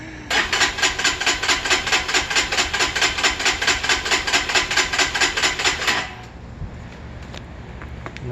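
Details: Freshly assembled Lifan KPR 200 motorcycle, filled with gas, oil and coolant, fuel pump audible, spark unchecked: steady cranking with even compression pulses about twice a second for six seconds, never fires; cranks but won't start.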